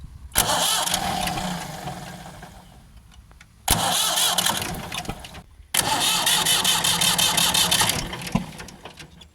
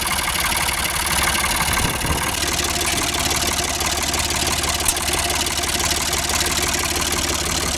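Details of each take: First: Ford 4600 tractor diesel after fitting a service-exchange injection pump, injector pipes cracked open for bleeding: three bursts of cranking with uneven chugging and no start, no smoke; air still in the fuel lines. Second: Ford 4600 tractor diesel after fitting a service-exchange injection pump. Steady tick-over around 700 rpm with even firing clatter and no misses or labouring; normal idle.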